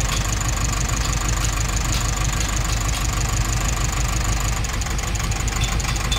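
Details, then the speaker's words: Nissan NV350 diesel with heavy vibration and no check engine light, injector 1 unplugged: idle turns lumpier and misses more, a reaction showing that cylinder was firing; rough idle with one injector disconnected. "Ah meron siyang reaction Mas lalong pumalya kasi nagbabago yan pagka naghugot net start ulit injector number two ulit natin engine"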